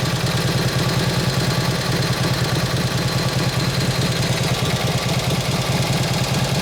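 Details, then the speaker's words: 1953 Harley 74ci panhead during carb tuning: loping, slightly uneven V-twin with a heavy, lazy note that won't settle low; it runs a little fat taking throttle because the main jet is too big. "So it's a little bit fat taking the gas. Because that damn jet's too damn big and it's showing it."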